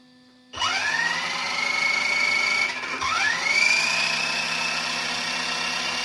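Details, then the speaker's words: Kyosho Outlaw Rampage PRO RC truck after installing part OL009, during differential break-in with throttle blips on the right side. The motor whine climbs, dips, then holds high with no grinding. The truck is inherently noisy but sounds like new; normal drivetrain. "So, and overall, you know, this truck is a noisy truck. You know, I mean, that's something that we just can't deal with. That's just, you know, a manufactured thing. But I will say, you know, this thing sounds like new."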